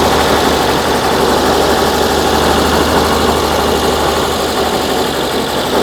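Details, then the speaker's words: 1968 VW Type 3 with 1835cc engine, warming up after install, burning off oil smoke, charge light off: steady, even idle with smooth low thrum and no knocks or misses; engine sounds healthy. "Shouldn't be that bad for warming up. Um the car does sound pretty dialed."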